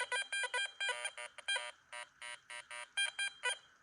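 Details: New Garrett Vortex in multifrequency mode, slow swing speed, silver dime test: clear bright beeps in short irregular bursts, about two a second. Normal target signal, detected only from one direction.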